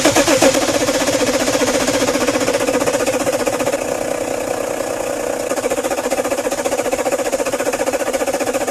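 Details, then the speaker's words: BMW M57 diesel at its first start after engine installation: a steady diesel clatter at an even idle with no misses or knocks. It runs cleanly. "Друзья, она запустилась. Я в шоке. Блин, главное, чтобы все нормально было. Первый запуск прошел успешно."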